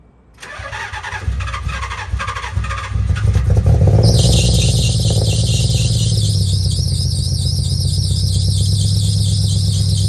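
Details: 1990-96 Nissan 300ZX (Z32) V6 starting and idling roughly with an uneven, stumbling beat; misfire, a common 300ZX issue.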